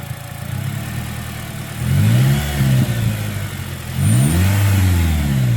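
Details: 2009 Pontiac Vibe 1.8L after new alternator and new belt: two clean revs rise and settle smoothly with no belt screech or squeal; former screaming alternator noise gone, accessory drive healthy.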